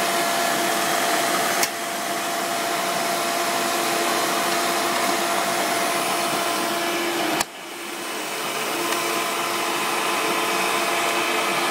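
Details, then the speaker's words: 1995 Hoover Turbopower 3 vacuum cleaner during stair cleaning: even motor roar with a thin, steady squeal on top and brief dips as the tool moves. Squeak source unknown, but the machine runs well. "y and as you can hear that squeaky there um but yeah it runs very well actually"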